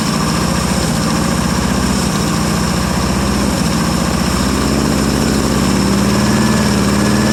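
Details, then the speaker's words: 1959 International B120 4x4 pickup, first cold start in about five years, running only on gas poured into the carburetor: uneven, lumpy idle; not pulling fuel from the tank, fuel system needs work. "well it looks like it's going to need some work on the fuel system so it gets gas but anyway it does run nonetheless"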